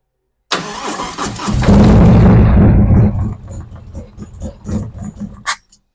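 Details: 2023 Harley-Davidson Street Glide ST Stage 2 (CR483 cam, Bassani header, ThunderMax) first start after initial ignition setups, in neutral: starter whirs, loud bark, then lumpy loping steady idle; front and rear AFRs centred, normal start and idle.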